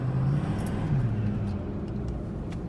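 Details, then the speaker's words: Ford F-250 with turbo and SCT programmer, after camshaft, roller and lifter replacement and head studs; it had started loud ticking around 186–187k miles: steady, even low rumble under way with no ticking or tapping; the valvetrain sounds healthy. "it's minty. Sounds like a fucking school bus. With a turbo. A turbo school bus."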